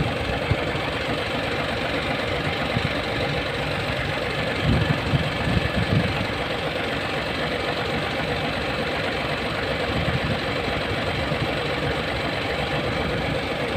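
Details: Hino 700 with E13C diesel, low power, rough idling and hard starting: lumpy uneven idle beat with occasional heavier knocks; one cylinder upset by malfunctioning injector #5.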